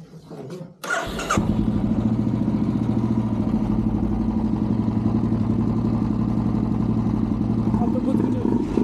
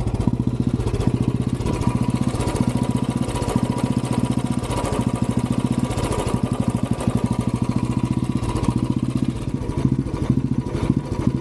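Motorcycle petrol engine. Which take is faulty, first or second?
second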